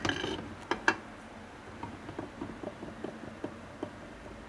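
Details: 1979 Harley 93ci Shovelhead rebuild, flywheels spun by hand in new cases during an end-play check: faint, uneven light ticks. End play is loose, matching a loose bearing.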